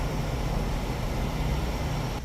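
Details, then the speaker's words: 3.5-ton AC condenser after installing an ICM 870 16A soft start module: a steady low hum and fan rush, quiet, with the earlier start-up noise and rattling gone; normal running. "wow I'm impressed the noise you guys heard earlier when this unit came on none of that this not quiet this she quiet all right that little rattling you heard earlier it's not there"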